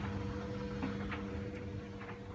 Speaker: Over there in the corner, the noise you can hear is the White Knight Eco 43A gas tumble dryer tumbling away.